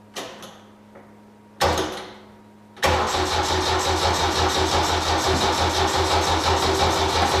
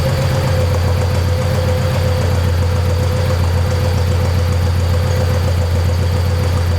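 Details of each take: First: 1972 Saab Sonett, cranking attempt with battery flat and fuel low (fuel pump audible): two short starter bursts, then sluggish even cranking about three turns a second that never fires; slow cranking from weak battery, needs charging. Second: 1972 Saab Sonett engine, seller says overhauled by previous owner, idling after a hard start following months of sitting: steady, even low rumble with constant beat, no knocks or misses; normal healthy idle.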